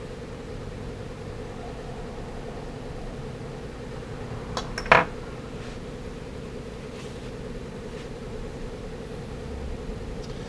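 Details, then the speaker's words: Fender Blues Deluxe tube amp after the filter capacitor fix: a steady mid-pitched tone holds even with no pulsing or wobble, the earlier bouncing gone. It was then biased to about 35 mA per tube, with supply back at 445 V. "but as you notice all of our little bouncing around is gone our filter cap solved that problem"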